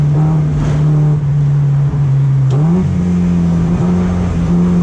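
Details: BMW E36 racecar engine climbing under throttle but stumbling and dipping midway before pulling again; misfiring/hesitation on acceleration slowing lap times, suspected fuel supply issue.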